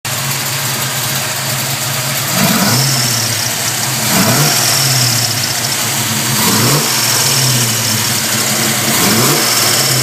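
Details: 327 small-block Chevy V8 at idle: a thin, high chirp comes and goes over the steady engine note. It appears to come from the rear of the passenger-side valve train, and the cause is unknown.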